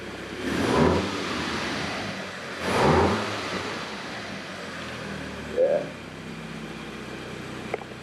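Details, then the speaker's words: Wrecked 2012 MK6 VW Golf R being rebuilt after dashboard replacement, cold start late at night; two quick revs then a steady even idle with no ticks or misses: normal cold idle. "let's hear a cold start like this car sounds so nice i can't wait to hear it like really warmed up"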